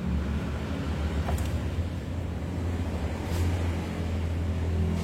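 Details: Yamaha NMAX (old model) with fault code 61, ISC wiring reconnected/extended as a trial: low, even idle hum with no surging or climbing over several seconds; settles to a normal idle.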